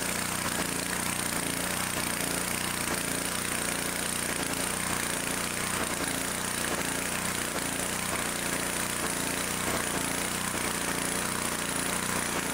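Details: Two-cylinder small engine after repair (air filter base bolt had vibrated loose and been sucked into the carburetor, causing one-cylinder running; bolts thread-locked), fixed-speed unthrottled, steady even beat with no misfire gaps; both cylinders firing normally.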